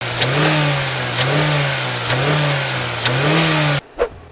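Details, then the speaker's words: Jeep Renegade / Fiat Toro engine revved hard; sharp metallic rattle ('grilado') as revs climb, common in these engines, also possible at idle. "acelera ele forte ele dá um grilado bem feio um grilado que é comum nesses motores"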